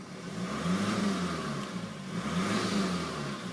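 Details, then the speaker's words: Manual diesel Ford Focus Ghia, 133,540 miles: revs swell and fall twice with an airy whooshing noise above 2000 rpm over the rumble, more noticeable when driving; cause not identified. "Just to be aware, when revved over 2000 there is sort of a whooshing noise to the engine."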